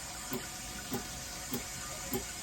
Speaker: you hear uh it makes like a that's the the chlorine injecting into this line as the water pressure is going through